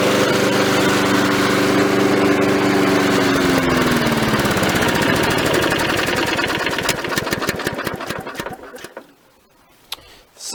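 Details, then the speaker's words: Victa mower left running to burn the oil out of the muffler after the repair. The single-cylinder engine keeps a steady, even beat for several seconds, then winds down and cuts out; it sounds healthy. "alright so now it's running fine which is great so you're still gonna wipe it out that muffler until all the oils gone"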